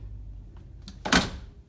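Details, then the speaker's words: 1973 Plymouth Duster door after rattle fix with door window roller now tight: window raised halfway stops with one clean solid thud, no buzz or rattle afterward. "sounds pretty good yeah that's nice and solid so now when this car is idling and stuff it's not going to be vibrating that to death anymore"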